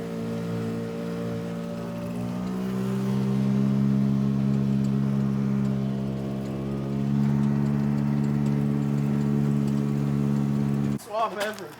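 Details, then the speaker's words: Car after fixing a rubbing issue, pulling in second gear under load: steady clean engine drone with no rubbing or scraping, feeling peppier; sounds healthy. "all right so we clearly fixed the weird rubbing issue yeah no more noise i think the resistance from the rubbing was hurting our acceleration wouldn't you say yeah because it feels peppier"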